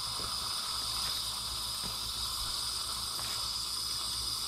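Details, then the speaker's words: Homeline AC breaker misused on a DC solar test array, left on under load: steady harsh hiss with faint crackle as a sustained DC arc burns inside the breaker, casing turning white at the bottom. "good i don't know if you can hear that but you can hear that dc arcing inside that breaker and you can see the breaker starting to turn white down bottom"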